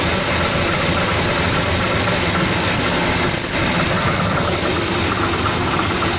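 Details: 1970 Oldsmobile Cutlass, cold start after sitting unused a while: loud, rough cold idle with a metallic rattle running through it, the exhaust header hitting the frame; header needs adjusting.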